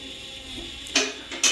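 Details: Dannmar M6 lift lowering with locks released: two crisp metallic clicks about half a second apart as the safety latches drop over each lock position. This is normal operation.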